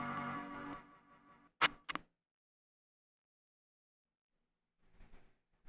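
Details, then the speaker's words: Beige Power Macintosh G3 Desktop after cleaning the logic board and cards with isopropyl alcohol, booted with a swapped memory module: start-up chime breaks up and stutters, then glitchy corrupted crash bursts; distorted startup chime, faulty memory module suspected. "I believe that was the stutteriest chime followed by a really really corrupted crash sound"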